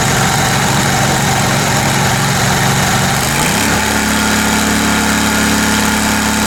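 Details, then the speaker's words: Kohler Command Pro 27hp lawn mower V-twin after head gasket repair, muffler baffle removed (possibly part of gasket failure): rough surge for a few seconds, then steady even idle without misses or knocks; normal idle. "Seems to be doing okay now. Got the muffler, the baffle out of it."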